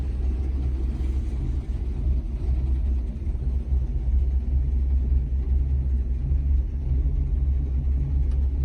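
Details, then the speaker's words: 1956 Chrysler New Yorker with its original Hemi V8, idling after years stored (exhaust redone about 30 years ago): deep, low, steady rumble with an even beat and no knocks or ticks. "Take a listen to the Hemi engine. This is the Hemi. Anybody that's ever worked or ever been around a Hemi engine knows that sound."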